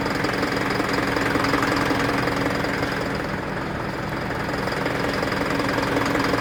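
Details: Isuzu NPR diesel at idle, check engine light with DTC P0202 cylinder 2 injector circuit from a loose connection; steady, fairly regular knock near three per second over engine clatter: injector circuit fault knock.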